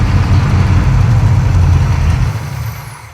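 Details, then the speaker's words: Pontiac T-37 junkyard-rescue V8 on a newly fitted electric fuel pump mounted low near the tank, smoking: rough, uneven rumble sagging and stalling over about three seconds; fuel is present, and gas is found pouring everywhere. "Why was it dying? I don't know, is there fuel in it? Yep."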